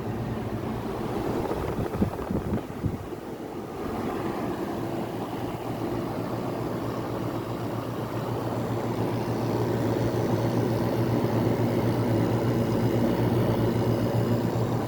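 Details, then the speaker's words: 1985 WCI window air conditioner with a 1983 Japanese rotary compressor, first test on the high fan speed of two, drawing 5.25 A: only a soft, even hum under the fan rush, no knocking; compressor runs smoothly and very quietly. "you can't even hear that the compressor is running this is this one's even quieter than the montg reward"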